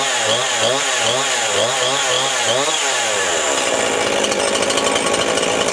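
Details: Chainsaw after fuel line repair, started with compression release: catches and burbles with a wavering pitch for three seconds, then revs cleanly to a steady high scream; normal running, no leaks.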